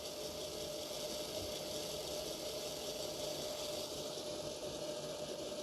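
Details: Trix/Märklin Porsche BR 152 model locomotive, formerly extremely noisy, after Micromotor.eu HMT008G coreless motor conversion: faint even gear whir at constant pitch, no buzz or rattle; much quieter, runs well at low speed.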